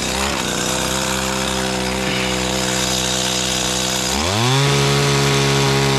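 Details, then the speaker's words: Stihl FS85 trimmer after repair (missing fuel bulb replaced, reversed return and main fuel lines corrected), cutting overgrown bushes: strong, steady two-stroke buzz climbing cleanly to a higher, even pitch when throttled up; runs healthy under load. "all right let's test this thing out on some overgrown bushes"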